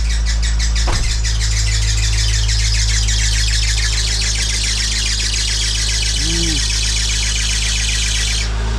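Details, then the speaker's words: 1996 Acura Integra GS-R, turbocharged with a rebuilt engine, first cold start: steady hum with a fast high chirping squeal that stops after a few seconds; a loose or over-tight belt is suspected. "That sounds like a loose belt. Or a tight belt, one of the two."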